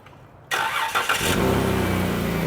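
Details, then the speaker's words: Family van with exhaust repairs: the engine catches after a short crank and settles into a rough, raspy, puffy idle. It is an exhaust leak from a flex pipe cracked all the way around its seam, to be welded. "like it sounded like it had a bit of an exhaust leak didn't it yeah it was a little extra oh you know what it's going to be this that Flex"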